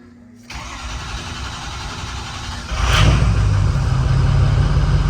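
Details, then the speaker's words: Hot 6.0 Powerstroke crank no start (oil about 180, coolant 190): starter turns it over with even compression beats, about three a second, but it never fires; injection control pressure already low. "so we're going to see what we got when we crank on it we already have ICP pressure low"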